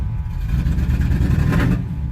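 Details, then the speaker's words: 1985 Chevy C10 with Vortec 350 and Lunati cam, NGK TR55 plugs a couple months old: rough, uneven V8 rumble that won't rev, with popping and backfiring; likely at least two cylinders missing, owner suspects failed spark plugs, fuel filter clean. "popping and backfiring so I'm assuming it's got at least two cylinders"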